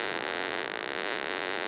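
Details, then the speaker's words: Hammerhead DIY pulse induction metal detector, VCO audio option: harsh steady buzz with fine high whistle, an angry bumblebee tone, because threshold pot R31 is set too high; VCO buzz. "angry bumblebee so that that's a result of the threshold not being set properly"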